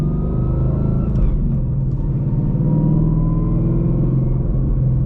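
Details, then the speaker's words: Whipple-supercharged car with Calimer Stage 3 transmission, custom straight-cut gears: steady low whine over engine rumble while driving in gear, going away out of gear; the transmission, not the supercharger; normal. "there's a big whining sound. That's not the Whipple that's whining. That is not the supercharger. That's the transmission. It's not a gimmick. They really are custom straight cut gears. And so as a result, they whine."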